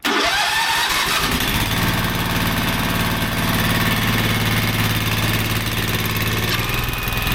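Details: Ditch Witch 1820 trencher after repair and topping up about a gallon of hydraulic fluid: quick crank, fires within a second, then settles into a smooth, steady single-cylinder run with even beat; running healthy.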